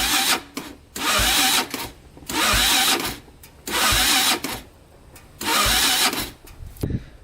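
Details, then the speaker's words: 2000 Honda 400EX quad that locked up in fifth gear and won't restart: repeated one-second starter whirs cut off abruptly without catching; starter binding when cranking, owner suspects crank bearing, others suggest timing chain or electrical. "we'll try starting it right now and just just to see you can hear it you can hear it's getting stuck"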